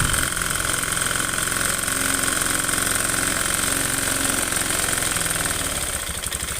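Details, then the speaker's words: Honda Beat FI scooter often run late on oil changes, engine running with fan cover removed: coarse rattling clatter that grows harsher when revved; piston slap, worn piston to be replaced. "nah ini suaranya bisa didengarkan suara kasar Nah dari sini bisa dianalisa satu persatu nantinya suaranya kasar ngetek seperti ini"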